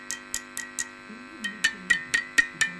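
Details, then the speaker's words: Westinghouse H-598P4 tube radio, 3V4 output stage working: each light tap sets off a bright ringing ping lingering over steady hum and buzzing; microphonics loudest on the 1U5, tube possibly defective, not confirmed; tube microphonic ringing. "the microphonics in the 1u5 well I don't know maybe that's typical for this type of radio but it's not good so I will have to fix that also"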